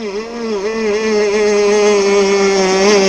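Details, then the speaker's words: RC gas boat two-stroke, hot, high-speed needle adjustment: buzzing high-revving note rises, then dips and wavers before holding flat; lean high-speed sag, fixed by richening the needle counterclockwise about 3–4 degrees. "I don't know if you guys could hear that on the video, but it's sagging a little bit. I'm going to richen it back up. It rose up and then it sagged a bit."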